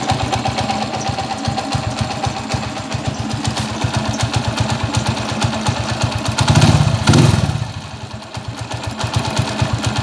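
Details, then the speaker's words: TMX155 motorcycle, engine still hot: rough loose clatter at idle, two blips, then shutoff; worn, loose crankshaft bearings and connecting rod, with rough first and third gear. "magaspang ang primera magaspang ang tersera che-check natin mamaya tapos makalog kog yung bearing ng segunyal"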